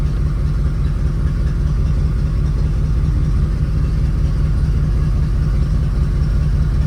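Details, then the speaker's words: Classic car (1980 Corvette / 1983 Caprice) idling with steady even rumble after new remanufactured alternator installed; charging at about 13.6–13.7 V, no knocks, ticks or whine — normal idle. "everything looks all right no weird noises or smells that's always good"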